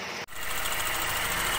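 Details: Chevrolet Aveo (used car) engine running with a rough, clattering knock underneath; scored crankshaft bearing surface is the cause, worsening if left; weak rpm noted, oil and coolant mixing to be checked.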